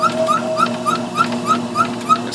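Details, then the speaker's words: Homemade belt-driven refrigeration test bench, 10.3 cubic inch two-piston compressor at extremely low speed: sharp high squeak three or four times a second per revolution; owner suspects piston rings lacking lubrication at low speed. "the squeaking I'm not exactly sure what the squeaking is if it is uh piston rings and maybe just running at this extremely low speed it's not getting proper lubrication and it's just wearing itself out"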